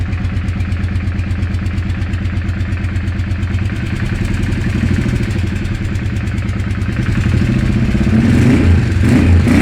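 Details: Weird engine sound: an uneven clattering pulse of about three per second that grows louder as revs climb, an abnormal mechanical noise of unknown origin.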